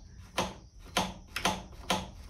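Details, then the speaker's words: 2001 KTM 50SX with a newly fitted aftermarket carburetor: releasing the throttle gives five sharp, clean snaps as the slide smacks down, returning fully and seating properly. "a nice snap got the uh slide smacking the carburetor when you let go of this bottle um what you want to hear"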